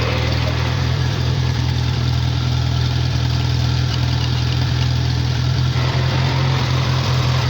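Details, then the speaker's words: Farmall four-cylinder tractor at idle after choke start, oil pressure issues and heavy oil use; low steady chug with slightly uneven beat, owner wonders whether cylinder three is out (stuck rings assumed) though it seems on all four: rough running, possible misfire. "i almost wonder if it's only running on three cylinders but it really doesn't sound that bad so it really sounds like it's running on all four"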